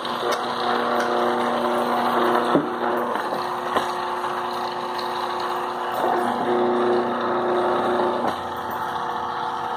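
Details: Ventisol wall fan that had stopped turning on runs with a steady hum plus a rough, uneven rumble and occasional knocks from a worn motor bearing; the capacitor is considered undersized, and the fix is replacing the motor.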